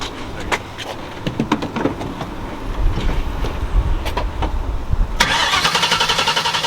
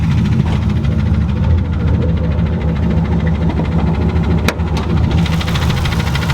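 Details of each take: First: Turbo Mustang (Bullitt), smoothest engine start in about a year right after new spark plugs, in neutral: a few clicks, then it catches promptly with a strong, even roar. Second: Turbo Ford Mustang Bullitt after hard pulls all night: lumpy loud V8 idle with dull knocking under the rough burble; rod knock, engine declared done and to be rebuilt.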